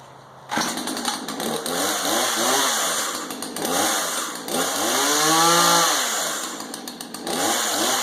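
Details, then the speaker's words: Husqvarna 240 X-Torq chainsaw after replacing the chewed clutch drum assembly: crisp two-stroke buzz climbing cleanly on each throttle blip and dropping back to steady idle; chain engages and the saw runs healthy. "all right so everything looks like it's connecting you okay they're running pretty good with that new punch assembly"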